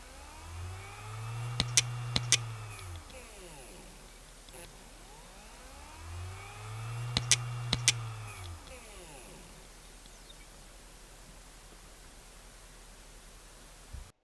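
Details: Dying Western Digital 80 GB hard drive (WMAM9K308462) trying to spin up: the spindle hums up, a few sharp head clicks follow, then it spins down and retries about every six seconds.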